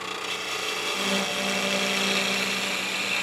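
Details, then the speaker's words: Wood lathe turning a long German smoker blank without tailstock support: rough, uneven rasping cut with faint buzzing flutter; vibration from leverage on the long unsupported piece, causing lathe chatter. "getting a fair amount of vibration just because we're putting just a lot of leverage on a piece this long unsupported."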